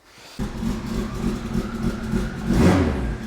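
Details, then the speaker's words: Steady, even idle with no stumbles or misses after refurbished, cleaned spark plugs were refitted; plugs had been blamed for the earlier rough, tractor-like running, and the healthy idle confirms the fix. "hey that actually fixed it healthy as could be I love the rotational idle and all"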